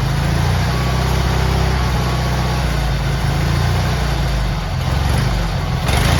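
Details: GT18 garden tractor twin, carburetor refitted, air cleaner off, runs with a steady, even low rumble, no stumbling or surging; it used to flood out and chuff smoke past half throttle once warm, now far better.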